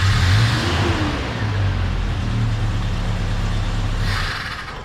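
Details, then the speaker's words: Carbureted truck after a carb swap, before setting float level: engine picks up briefly, then sags and labours with rpm fading toward a stall, as it did every time it moved around the backyard; stumble on acceleration, cause suspected, not confirmed. "well the past couple times I moved around in the backyard with this on there it almost die every time it wouldn't uh end up getting up and revving up"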